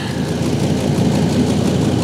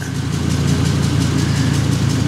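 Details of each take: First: 2005 Ford Super Duty, lifted, 6.8L Triton V10, idling outside during a cab carbon monoxide check after an owner-suspected exhaust smell: steady, smooth low rumble with no ticking or puffing; sounds healthy, no exhaust leak heard. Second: 2005 Ford Super Duty, 6.8L Triton V10 petrol, at idle: deep steady rumble with a faint quick regular puffing tick; owner suspects an exhaust leak, shops say engine noise, and a stethoscope found nothing.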